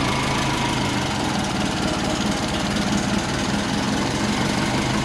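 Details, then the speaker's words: Rebuilt turbo Subaru Forester engine, first start-up after reassembly: a steady, even idle with a low, smooth burble and no knocks or ticks. The oil has stopped dripping (possibly fixed, possibly no oil left), and it sounds much better; the earlier problem was blamed on the pistons. "Hoops better and the oil has stopped dripping so either I fixed it or there's no oil in it but that sounds so much better"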